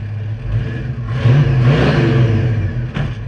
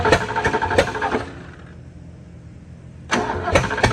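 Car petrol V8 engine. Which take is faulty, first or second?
second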